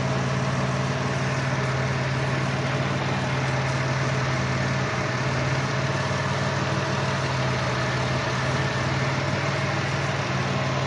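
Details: Dodge Caravan with P0301 code: rough idle stumbling about four times a second from a cylinder 1 misfire caused by an open ignition wire, forcing the coil to fire at 40 kV instead of 10–15 kV.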